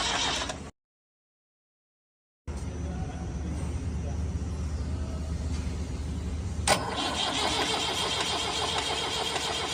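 The engine cranks slowly with a steady chug, about four a second, for several seconds before it finally catches and picks up, a clear hard start. Cause suspected, not confirmed.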